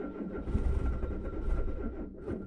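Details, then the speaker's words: Peugeot 205 first start after a head gasket job, running on three-month-old expired full ethanol: rough, lumpy idle with an uneven stumbling beat, one cylinder dead and running too lean. "avec un joint de culasse un cylindre en moins comme on l'entend et elle tourne trop pauvre aussi"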